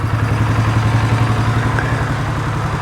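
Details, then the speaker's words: 2015 Polaris Sportsman 570 EFI single-cylinder ATV that sat outside for years, idling with the airbox removed after it was found full of water and cleaned out: steady, low, even thump with no knocks or clatter. Motor quiet, normal idle. "but I mean that motor is quiet again I don't have the airbox on here because it was full of water that thing's all cleaned"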